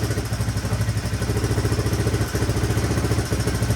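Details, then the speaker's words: 1983 Honda XR200R, sitting for years, kick-started for first time, idling: steady, even low thump, no cam chain rattle or valve ticking. Engine sounds quiet; a little smoke at the end likely from oil poured down the spark plug hole. "Crazy. That engine sounds pretty quiet too. Not hearing the cam chain flopping around or valve."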